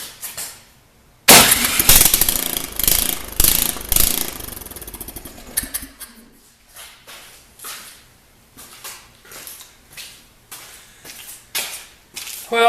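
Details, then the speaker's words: Snow blower small engine running without muffler after spark plug cleaned and reseated, no-start caused by plug not seated right; loud open-exhaust bark firing in steady chug without stalling: normal running. "that that is really really annoying to go through all this and have it be that it was just not quite seated right"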